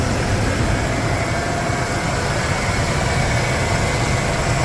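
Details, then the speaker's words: 1995 Ford F150 V8 after an oil change, hot, idling outdoors: a steady, even idle with no knock or tick, the fan and belt louder than the engine, slightly hesitant on the throttle. A normal idle; the earlier tick has improved. "It's a little little hesitant on the throttle, but she's quietening down from how she was when I first started her up yesterday. which is good."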